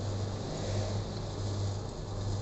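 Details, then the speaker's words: Sanken showcase refrigerator compressor, seized unit opened, repaired and reinstalled, running with amperage checked normal as manifold opens to charge freon slowly: steady low smooth drone, no knocks or rattles; running normally. "Nah, ini kita nyalakan kompresornya, lalu kita mengecek ampernya normal. Nah, kalau kita sudah lihat ampernya normal, selanjutnya kita buka manifoldnya untuk mengisi freon secara perlahan."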